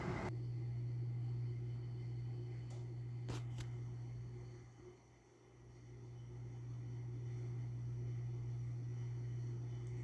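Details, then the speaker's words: Window air conditioner running on a hot day and blowing 48-degree air: loud, steady, rough droning hum from a worn fan motor bearing; fan speeds barely differ. "That bearing noise is so freaking loud. I can hear it from all the way down here."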